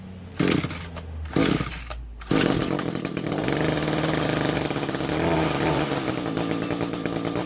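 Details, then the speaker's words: Neighbor's curved-shaft two-stroke weed whacker used for edging: a few throttle bursts, then a crisp steady buzz with no stumbling; runs great, with good power and throttle response. "Amazing. Sounds great. Nothing wrong with this."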